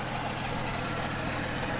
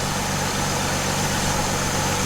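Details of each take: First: 2008 Chevy Trailblazer at idle, squealing/chirping noise from front of engine: steady high-pitched squeal constant with engine speed; belt spray stops it briefly, pointing to serpentine belt (tensioner or pulley also considered); fixed by replacing drive belt. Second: 2008 Chevy Trailblazer at idle after serpentine belt replacement: even steady idle, belt screech gone, faint whir left from power steering pump pulley, owner suspects its bearings; normal idle.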